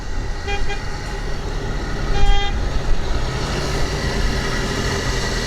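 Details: Opel Corsa gasoline engine jump-started from a fully discharged 5.96 V battery with a LiPo jump starter (voltage rose to 15.2 V): low, steady idle rumble holds even under two short horn toots; alternator charging, engine running normally.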